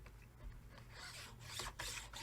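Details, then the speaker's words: Minleaf ML-MS1 mini portable table saw: gritty metal rasping in uneven strokes as the miter guide slides across the rough, unfinished table plate, which could wear the metal over time. "you can hear that grinding sound which i don't really like over time that's just going to eat away at your actual metal and material"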